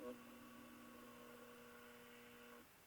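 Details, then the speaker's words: Stromberg Carlson Model 340 F console radio, warmed up and tuned to the low end of the dial: a steady, fixed-pitch buzzy tone for about two and a half seconds, then cuts out; an intermittent parasitic oscillation. "and it'll keep doing that that's the weirdest oscillation i've ever heard in a radio"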